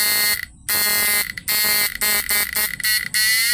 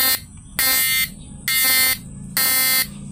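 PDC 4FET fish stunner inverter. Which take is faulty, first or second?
second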